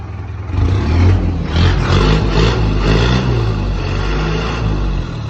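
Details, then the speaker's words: Mercedes Vario campervan diesel with a temporary straight-through exhaust and no silencer box: a deep, blaring, tractor-like bark that swells with throttle blips, then drones. The silencer box still needs fitting. "There it is. It's just balanced on bricks. Well, definitely sounds like the tractor. And I think we do need the box on it."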